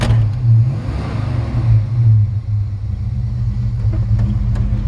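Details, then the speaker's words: 1955 Chevrolet Handyman Wagon, warm at 160 (likely 160 thermostat), good oil pressure: deep, even V8 exhaust burble with a slight lope as it revs and settles; sounds like a mild lopey cam, no smoke, no misses or knocks; healthy. "got a nice sounding exhaust. Sounds like it's got a little licking cam in it. No smoke."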